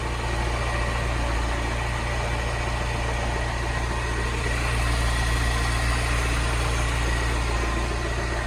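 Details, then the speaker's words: Salvage-rebuilt Mini Cooper S, 62,935 miles, after new auxiliary belt and used turbo water pump, intercooler not yet fitted, engine management light on: steady even idle, smooth low hum, no knocks, ticks or misfires; running really well. "It's running really well. Wicked. Yep. So that's turned out really well, guys, look."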